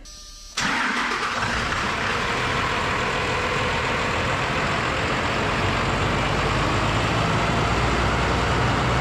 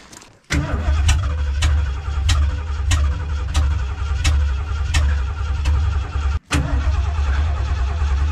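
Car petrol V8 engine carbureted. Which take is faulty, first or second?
second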